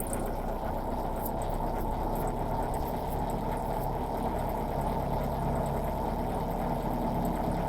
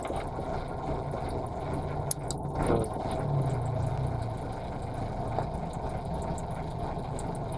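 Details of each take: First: Nissan Sentra B14 at idle with the vacuum hose to the throttle body pulled off (knocked loose by a cat): uneven, stumbling idle with low chugging beat that never settles; misfire from the vacuum leak, fixed by reconnecting the hose. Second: Nissan Sentra B14 that was misfiring, after new spark plugs and a cleaned valve: steady, low, even idle with no stumble or shake; the engine now runs smoothly.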